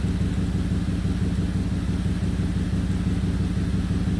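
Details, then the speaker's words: 2008 Audi Q7 4.2 V8 idling with a rhythmic puffing pulse from an exhaust leak at the left-side catalytic converter, whose expansion joint has failed; also history of misfires on startup. "It's got an exhaust leak, as you can hear. There's a catalytic converter on the left side because the expansion clutch joint has failed."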